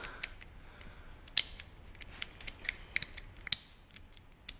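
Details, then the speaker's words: 2009 Honda CBR600RR ABS turn signal switch after cleaning to cure a delay before flashing: sharp, crisp clicks as the switch is flicked back and forth, clean detents with no drag; working properly. "much better now. Hear how it clicks Much better than it was just 2 seconds ago."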